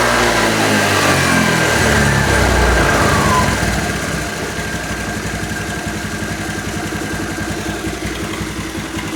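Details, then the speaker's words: Honda Vario 110 scooter that previously would not take throttle, after a stator coil fix, battery connected: it pulls to a high rev and then settles into a steady idle; the stator still seems faulty but it now takes throttle. "Cuman bedanya udah mau digas."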